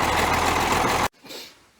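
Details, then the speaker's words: Ford 9600 tractor diesel after 34 °F cold start, filter change and injector pump bleed: about a second of steady, even idle clatter before shutdown, no misses; normal idle. "Man, I do like that 9600, just listen to that sound. You can hear Dad coming a mile away."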